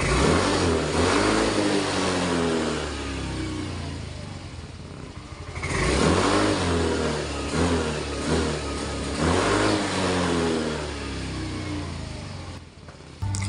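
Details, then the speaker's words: Yamaha Mio i 125 M3, misfiring since bought despite new ICU, ignition coil, fuel filter, spark plug and throttle body. Idles fine, but under throttle revs surge, stumble and drop out every few seconds; cause not found. "So ayan po mga ka-idol, kung mapapakinggan nyo naman po ay putol-putol po talaga yung under niya."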